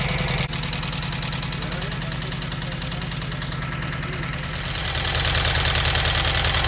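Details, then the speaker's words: Volkswagen Vanagon Westfalia brought back to life after sitting, a week to start, with new spark plugs, air filter and battery: steady, even idle pulsing about three times a second with no misses or knocks; runs cleanly. "well that's it got it rolling I'll still be stuck in this spot for another little while"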